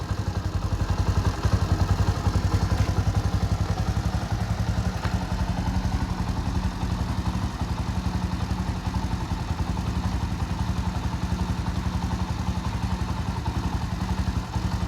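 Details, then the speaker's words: Bajaj Boxer X150 single-cylinder motorcycle idling after an engine oil change following a 697 km trip, run briefly to circulate oil to engine and gearbox: even, steady putter around 220 beats a minute, no knocks or rattles; smooth normal idle. "make sure you turn it on it a little bit so everything is Works nice right now you can see the the sound is so smooth it idle so"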